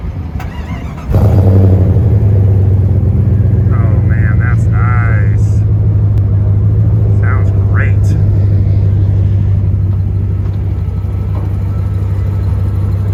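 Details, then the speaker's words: 1997 Jeep Grand Cherokee Limited ZJ after new California-spec catalytic converter (old one full of rattling rocks) and Magnaflow muffler: starts and settles to a steady deep even burble, no tinny rattle; healthy exhaust note. "the new exhaust system is on jeep's running fantastic it sounds wonderful"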